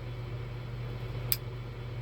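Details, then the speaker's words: Glock during a manual function check without dummy rounds, trigger held down then eased forward: a single crisp, light click marks a normal trigger reset. "Hear that click? That means it's reset."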